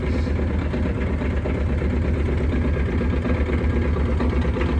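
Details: Normal idle after a cold start at about 28°F, below freezing, on a Mule started without choke: even, low, steady idle with no knocks, hunting or stumbles; engine running fine.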